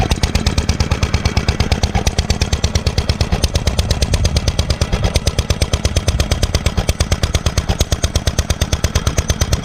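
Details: 1946 International Harvester LB hit-and-miss gasoline engine, freshly rebuilt, started cold, at full speed about 1,000 RPM; sharp even exhaust beats about two per second over low thump, steady: normal hit-and-miss running.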